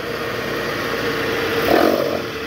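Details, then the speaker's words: High-mileage Toyota Harrier, engine running with A/C on, in reverse, revved to about 1000 rpm: steady rough growl swelling under load from a vibrating accessory belt tensioner with a weak spring. "Oke Guys jadi tadi kita udah konfirmasi itu ada suara dari Tensioner bunyi ngorok gitu pas masuk R terus digas itu tensionernya geter dan bunyi ngorok akibat Eh pegasnya udah lemah"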